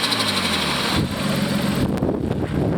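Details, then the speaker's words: 1989 Nissan Skyline GTS-T Type-M (R32), modified drift setup with front-mount intercooler: engine stumbles and revs unevenly at low revs on startup, then brief fluttery chatter from the turbo; rough running and turbo flutter typical of a modified engine. "The engine itself runs very much like a modified engine, and so when you start it up, it stumbles a little bit, it revs a little bit funny. You can hear some of the turbo fluttering."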